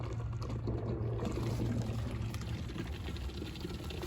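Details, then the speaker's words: 2005 Lincoln Town Car, Ford 4R70W transmission fluid service; Mityvac fluid evacuator draining the fluid: low uneven gurgling, slurping chatter, lines shaking as it starts drawing air, meaning the transmission is nearly empty. "you can see that it's starting to draw some air out of that transmission those lines are shaking pretty good so that tells me that the transmission is just about empty"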